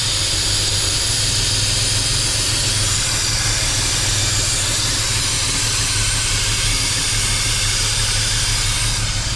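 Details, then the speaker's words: BMW N54 tuned engine after an 800HP+ fuel system install, idling with the intake manifold not sealing on the head: loud sucking hiss over a low rumble, misfiring and backfiring, bank one running too lean. "we've got some vacuum leaks i need to have it running but it makes me worried um let's see if it'll idle you can hear it sucking"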